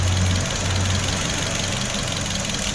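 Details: Hyundai HB20 sedan, 1.6, 2016, 130,000 km, at service after an engine wash, with a front right noise complaint: steady even idle, smooth low hum, no knocks or misses; battery, starter and alternator charging all test fine.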